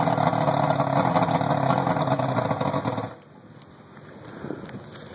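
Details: Rebuilt 120 hp Force (L-Drive) on a 1991 Maxum, first start after rebuild: rough, busy two-stroke running steadily for three seconds, smoky, then drops to near quiet.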